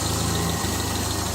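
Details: 1975 Triumph Spitfire after smog removal, valve adjustment, timing set by ear, air box off: steady warm idle with faint occasional unevenness; slight miss, owner suspects carburetion or running lean without air box. Slight idle miss.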